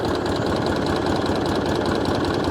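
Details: Hayter 56 Pro lawnmower engine, oily and suspected tipped or overfilled, set to the fast throttle position: the small single-cylinder holds one steady, lowish speed with a rattly note and never rises to full speed.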